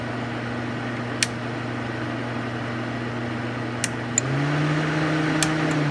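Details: Suzuki SX4 cooling fans with coolant temperature simulated, relay second stage energizing: steady hum steps up to louder, higher whir as fans switch from low to high speed; normal operation.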